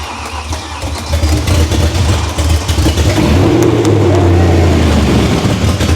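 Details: First start of a race-car V8 after fuel pressure and leak checks: catches, climbs, settles to a strong, even burble, no stumbles or misfires, no limp mode; idles perfectly.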